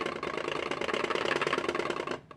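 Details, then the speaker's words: all-sun EM8910 non-autoranging digital multimeter being shaken. Dense plastic rattling for about two seconds, then silence. The loose 9-volt battery is knocking in its housing because there is no foam padding; foam strips fix it. "That is the battery, the 9-volt battery being rattled back and forth in the battery housing. That's making that noise simply because allsun couldn't afford to put this in."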